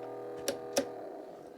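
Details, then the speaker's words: 1980s Hitachi DE12 cassette deck: motor hums steadily with sharp clicks but transport never engages; belt found gone, drive belts broken. "Can you hear that noise? The motor's working, but there's something not right inside."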